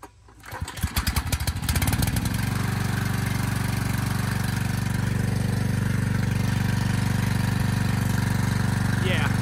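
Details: Briggs & Stratton generator repowered with a replacement 10 HP Briggs engine, started before governor adjustment and a load test: after a few cranking pulses it settles into a steady but low, lazy drone. The engine is underspeed from the governor setting.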